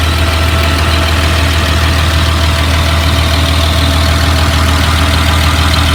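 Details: 2004 Blue Bird All American 72-passenger school bus diesel at steady idle: even low rumble with no knocks or misses standing out; engine sounds healthy, automatic transmission engages.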